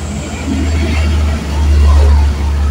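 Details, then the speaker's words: Yamaha Mio M3 after a rebuild with a Vario 125 piston and original camshaft, following an oil-starvation failure: first start gives a deep, smooth hum that swells evenly on light throttle blips and settles back, with no knocks; the engine runs fine. "nih motor hidup dulu ya dan mesinnya halus kita gas-gas sedikit dan di sini tidak ada perubahan ya untuk di suara mesin masih oke oke mantap ya"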